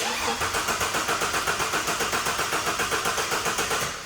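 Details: Turbo EF, back on the job after sitting abandoned for months, alternator not wired: steady fast cranking at about four turns a second that never catches, and no fuel pump priming is heard; fuel pump fault suspected, not confirmed.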